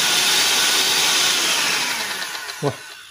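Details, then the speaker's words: Bolde Super Mix Turbo mixer on 220 V after motor and gearbox repair, cycled through speeds 1–5 and turbo: smooth, steady high-pitched whine with no rattle, winding down evenly when switched off. Fully fixed, no burning smell. "keren banget, sembuh total, alhamdulillahirabbil alamin. Normal banget dan nggak ada bau-bau gosong."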